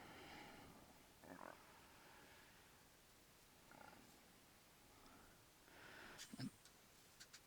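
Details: Radiomaster TX16S RC radio's vibration motor after repair, motor secured so it can't slide: soft, even buzzes with no rattle or knocking, healthy, replacing the earlier rattle.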